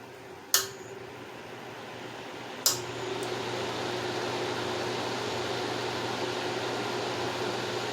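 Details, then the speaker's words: 1950s Wizard 6JC2418 hassock fan motor switched to low speed: steady, soft whir after a switch click, with no buzzing or humming, the usual signs of a failing motor; running normally. "so there's no buzzing or humming or anything like that which is the usual sign that you would see in a failing motor"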